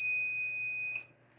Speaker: you can hear a very loud beeping. And if you look down in here up above on that chip right there, you can see the blinking light in sync with the beeping.